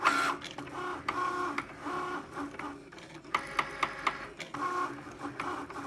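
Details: New Cricut Maker on first use cutting a card project: whirring carriage moves with a run of four sharp knocks partway through the cut, knocking as it travels back and forth.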